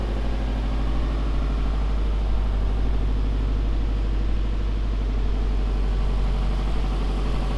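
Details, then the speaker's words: Rebuilt Subaru STI first start after oil and power steering fluid fill: deep, steady low rumble with even beat, no knocks or ticks; slight smoke from earlier oil leak burning off up-pipe, one small exhaust leak needing a gasket. Normal idle. "we have a little bit of smoke from that oil leak we had yesterday so that's burning off the up pipe and we do have one really small exhaust leak"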